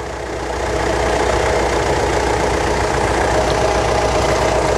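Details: 2015 Mitsubishi Triton 3.2 diesel after EGR pipe weld, engine oil service and code clearing: engine catches and settles into a steady, even diesel clatter with no misses or knocks; a healthy idle.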